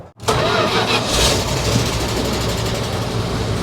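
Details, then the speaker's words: 1973 Dodge camper pickup with a big block, not run since 1998: cranked with a JS2000 jump starter. There is a brief strong crank, then the engine catches cleanly and settles into a steady idle, so cranking and starting are normal. "Well, it works."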